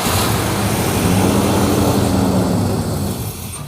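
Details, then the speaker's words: 1968 Chrysler Town and Country wagon with a 440ci big-block V8, after the missing brake booster hose vacuum leak was found and reconnected. It now idles with a steady, even low rumble and no stumbling or hiss: a smooth idle. "Bingo! Really? Look how much better it runs already. Oh, no, it runs like a top."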